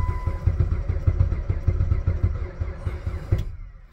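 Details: Jeep Patriot at -36°C to -40°C with a failed block heater and a booster pack attached: slow, uneven cranking thumps at about a hundred per minute that never catch, then cut off. Extreme-cold crank, no start.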